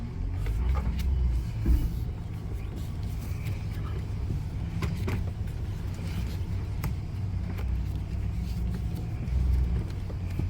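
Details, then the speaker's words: 2005 GMC Sierra 4x4 after replacing the front CV axles and both tie rods, driven in four-wheel drive at full steering lock: steady low drivetrain rumble, no clicking or popping now, so the front CV joints sound healthy. "Yeah, no clicky click noise now."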